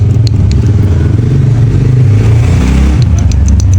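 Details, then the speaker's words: Belt-driven donkey water pump with low pressure, oil leak, belt breakage, oil-water mixing and loud noise: loud low thumping with a rhythmic knock as the motor's small pulley spins the large pulley fast; knock from worn bearing play. "ये जो प्ले है ये जो है आवाज़ पैदा करती है। तो दोस्तों भी आप वादे तौर पे आवाज़ सुन रहे हैं। जब छोटी पुली यानी कि मोटर की छोटी पुली बड़ी पुली को घुमाती है तो इसकी स्पीड बहुत ज़्यादा तेज़ होती है, तो इसके अंदर से ये प्ले होने की वजह से बहुत ज़्यादा आवाज़ आती है।"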